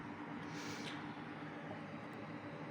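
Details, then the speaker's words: Centrifugal blower cooler on a Gigabyte RTX 3080 Ti Eagle, switched on at half speed via its external controller, GPU temperature dropping from 65 to 63 °C: quiet, steady airy whoosh with a faint low hum, no rubbing or ticking; normal blower fan running. "let me put it halfway up it'll turn on as indicated by this blue light it's not that loud but you can definitely hear it not that loud but you can hear it"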